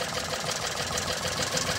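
Uneven, lumpy idle with an irregular stumble in the beat, one cylinder dropping out; dead cylinder from no ignition signal to its coil.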